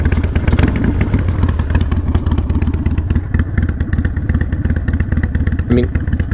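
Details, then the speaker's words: Harley-Davidson Sportster 48 viewed for purchase, lumpy V-twin idle with a loose, uneven metallic clatter riding on the beat; the rattle's source is unclear, and a loose exhaust is suspected. "there's this weird sound coming out you guys hear that sounds like flanking"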